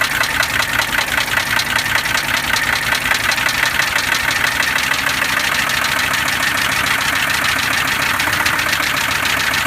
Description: 1982 W123 300D turbo diesel has loud knocking and ticking sound. Working on diagnosing the problem.